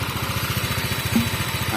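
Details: Honda Vario 125 Techno water-cooled scooter after repair, fully warm after about an hour of idling with no steam or boiling: even, steady idle pulse with a light hiss on top and no misses; settled and healthy.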